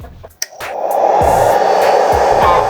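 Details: 500W solar inverter exhaust fan after cleaning and oiling to cure excessive noise: steady even rush of air with no ticking or grinding over background music; fan runs smoothly and quietly after repair.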